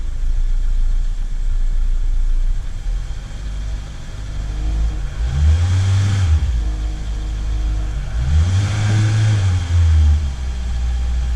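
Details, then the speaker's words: Starboard boat engine after cleaning the cylinder 1 and 2 injectors: low steady idle, then three clean revs without the earlier no-load misfire and break-up around 2,500–3,000 rpm. "And now, it's running smooth."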